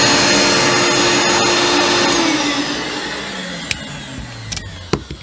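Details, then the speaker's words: Hoover Turbomaster upright vacuum, a fully rebuilt one with new bearings: steady high motor whir with no rattle or rough growl, then an even spin-down; smooth, healthy motor. "you can hear it sounds much smoother much much smoother it'd be clumsy it's been fully rebuilt with new bearings which this one will be eventually"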